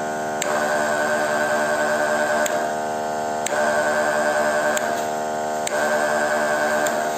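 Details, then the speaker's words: Dual-motor P3M version 3 electric sprayer pump running on one motor on adapter power, plugged into the lower jack so the switch and pressure regulator are bypassed. Steady motor hum with a pump stroke pulsing every couple of seconds, no strain; normal running at full pressure. "Akan tetapi jika kita masukkan ataupun kita colokkan pada Jack bagian bawah ataupun plak bagian bawah maka saklar dan juga potensio tidak berfungsi dan dia akan langsung pada tekanan full"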